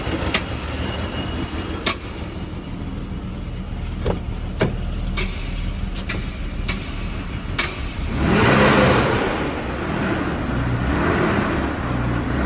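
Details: BMW E39, cold start: engine ticks with sharp, uneven knocks about twice a second over a low idle, then a rev; knocking when cold, cause unknown.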